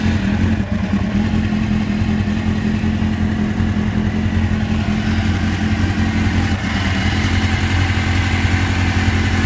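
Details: 1999 GSX-R 750 sport motorcycle engine running at 65°C (149°F) water temperature, with a light, quick ticking over its steady hum; engine ticking noise.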